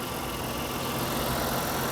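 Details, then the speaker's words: Ford Falcon XR6 inline six at auction inspection, coolant clean, brand new battery: steady, even idle hum with no knocks or misses, mechanically sounds fine and runs real good; normal idle. "mechanically it sounds fine runs real good"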